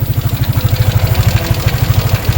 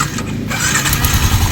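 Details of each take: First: Sniper 155 at idle, about 105,000 km: light metallic clatter over the thumping beat; worn small camshaft bearing and worn cam, fixed by replacing the bearing. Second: Motorcycle, after repair: engine settles into a steady, quiet idle with no ticking or clatter and strong oil circulation, once the worn, gouged cams, cam set and very loose cam bearing were replaced.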